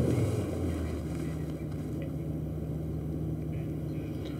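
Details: 2014 Toyota Tundra 5.7 V8 after TSB PCM calibration update for long-crank hard start from fuel alcohol calculation error, fuel trims at zero: quiet even idle with no stumble or surge; normal idle.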